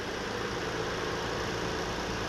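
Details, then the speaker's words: 2017 Ford Explorer XLT, naturally aspirated 3.5 L V6, first start after replacing spark plugs and coil packs: smooth, even idle with a steady low drone and no stumble or miss. "It's all put back together, and we're gonna start it up. Here we go. Oh yeah. Yeah, that looks great. Sounds great. Smooth."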